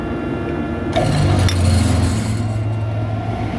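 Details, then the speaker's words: Main exhaust fan motor at switch-on: a clattery surge that settles into a rough hum, with 32 A inrush against a 5.6 A rating, then running at 4.6 A. The belt is loose and a poorly contacting power switch is suspected, not confirmed. "Yeah, that's an interesting startup sound, huh? We're allowed to run 5.6 amps. We had 32 amps of inrush."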